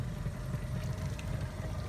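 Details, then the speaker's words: Smooth, quiet, steady idle with an even burble and no knocks from a Mercury 150 four-stroke outboard on a South Bay 22-foot tritoon, right after start-up during a sea trial; water stream shows the impeller is cooling; normal idle. "everything sounds nice and smooth as a matter of fact it's so quiet I'm not a hundred percent that you can hear it even"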